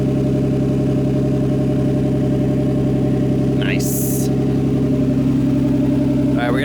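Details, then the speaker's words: Nissan A31 Cefiro RB20DET with an R34 RB25 Neo turbo, first start, coolant bleeding, downpipe only with no exhaust: loud, raspy, even idle pulsing about 220 a minute, no misfire or knock; engine super quiet, no leaks seen. "right now all i have is the down pipe so it almost sounds like an exhaust leak but the engine is super duper quiet"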